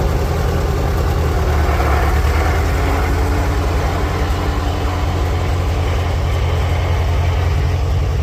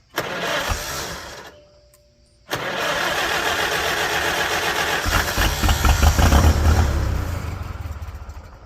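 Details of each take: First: 1946 International Harvester Farmall H four-cylinder, in neutral after a pushrod replacement and deep cleaning, with a low battery: deep, even low thump at a steady idle with no misses or knocks; smooth, normal idle. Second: 1946 International Harvester Farmall H, first start after repairs: short burst, pause, then uneven firing that chuffs along with cranking and dies away; harness wired on the starter side, so ignition is powered only while cranking.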